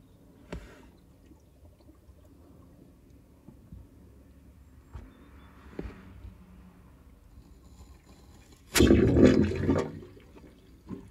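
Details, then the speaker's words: Heating system header tank in the roof being refilled after draining: quiet, then a sudden one-second gush and gurgle of water and air flowing back in as the level drops; normal refill. "you could clearly hear that water going back into the system and air getting back into the system and now the water level is dropping because it's refilling what we drained out and the tank's starting to refill"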